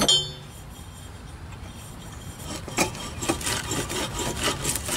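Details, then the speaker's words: Husqvarna YTH18542 mower deck with the belt off: a pulley spun by hand gives a dry, uneven rasping grind, probably the bad pulley; these pulleys have no grease fittings. "hear that grinding that's not good that's probably the one that's bad"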